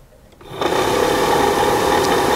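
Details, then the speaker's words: 1966 Mustang heater box blower motor bench-tested on 12 V battery: spins up quickly to steady, even whir with faint rattle underneath; basically healthy, no replacement needed. "that sounds pretty good there's a little bit of a rattle in there but I think for the most part it sounds pretty good which is great I don't need to buy a new motor"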